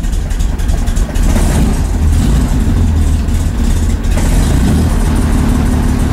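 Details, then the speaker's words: 1965 Chevy Corvair on first start after electric fuel pump installation, after sitting a while: heavy rumble that surges and sags, not holding idle; owner suspects valve noise, which goes away when revved. "I don't like that sound we're not holding idle come on baby old Idol I don't like that sound though what is that sound that's valve noise"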